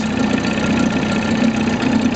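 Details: 1983 Johnson 25 HP two-stroke outboard on a 1973 SmokerCraft, first run, pumping water well: even steady burble at low revs in reverse, no misses or knocks, running smoothly.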